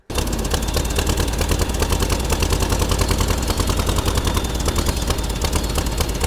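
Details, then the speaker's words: Air-cooled VW T2b pickup engine, unused for 34 years; it starts abruptly, then a loud uneven clatter settles into a rough but continuous run; it is alive but was shut off soon because the oil is full of petrol and needs changing. "34 vite. Çuna është gjallë, do të heqim vajin, sepse ka shumë benzinë. Nuk është mi ta vazhdojmë ta ndezim sepse dëmtoj motorin. Është gjallë, është super mirë."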